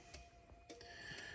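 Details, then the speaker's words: CNC machine tower light install: after e-stop silenced the buzzer, a relay clicks about twice a second over faint hum while the yellow alarm light on the tower blinks from output 15. "pull it out and I'm still getting the you hear the relay clicking and it's just blinking that yellow light on the tower"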